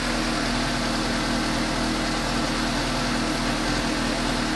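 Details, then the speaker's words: 2015 Suzuki GSX-S750 four-cylinder motorcycle idling right after new OEM NGK CR9EIA-9 spark plugs fitted at 7,500-mile service: steady, smooth unbroken hum with no stumbles or misses, noticeably smoother than before. "does sound smoother I like it yes noticeably a little more mile sparkplugs on our cars"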